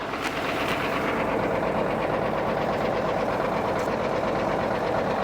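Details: Bay City shovel engine (or the Cat No12 grader engine being pulled; leaking lower radiator tank) runs loud and busy with a loose, uneven knock about three beats per second; owner says the Bay City is knocking, cause not found.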